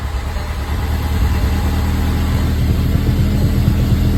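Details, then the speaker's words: VW Jetta MK5 first start after reassembly and retiming, with coils reconnected after priming oil pressure: a steady low rumble settling into an even idle with no knocking or rattle. It sounds healthy. "that sounds good it sounds good let's plug her in"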